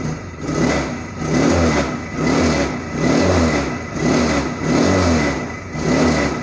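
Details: Motorcycle that vibrates heavily at 40-60 speed, revved repeatedly: loose rattling buzz surging with each rev from loose engine mounting bolts in the frame.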